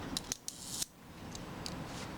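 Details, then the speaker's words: Mamiya Family SLR camera after shutter service and cleaning, shutter speed cam ring rotating freely, release tripped on bench: a few crisp, clean mechanical snaps with no drag, buzz or hesitation; normal shutter operation. "That sounds fine to me."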